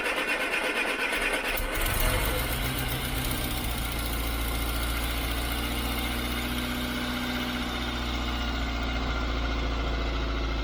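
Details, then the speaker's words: Austin Allegro petrol engine, carb primed after the fuel filter and pipes were replaced. It cranks briefly, catches and settles to a steady even idle on half choke. Normal cold idle. "it's on about half choke at the minute"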